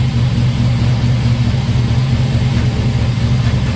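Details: Turbo LS V8 in 1955 Buick with new homemade 3-inch exhaust (Silverado tailpipe pieces, swap-meet Thrush muffler): deep, even low rumble, steady beat, no knocks or ticks; idles smoothly.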